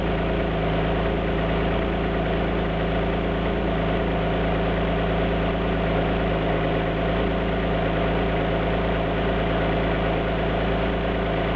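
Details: Alfa Romeo GT V6 at idle: a steady idle with an uneven, lumpy beat underneath that never smooths out; a cylinder misfiring at idle.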